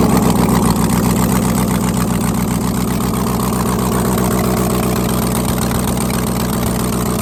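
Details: Rebuilt 5.3L truck V8, second startup, Texas Speed stage 3 truck cam 216/220 .600/.600 112 LSA, no headers, stock bottom end and tune: deep, loud idle with uneven loping beat, no knocks or ticks; healthy cammed idle.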